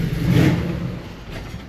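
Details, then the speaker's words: 1949 Ford truck with Aces Killshot EFI, warmed up: easy throttle revs fine, but quick throttle makes the engine swell then sag and die; lean tip-in bog from too little acceleration fuel. "But if I come into the throttle easy, you can hear it rev up pretty good, right? But if you come into it quick, totally dead until I take my foot off. It would just die if I left my foot on it."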